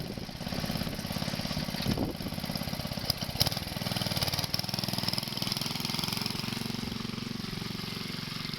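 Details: Wheel Horse 704 garden tractor Kohler engine, warmed up after recoil starter realignment, driving around the yard: even, quick putter with no misses or knocks; runs healthy.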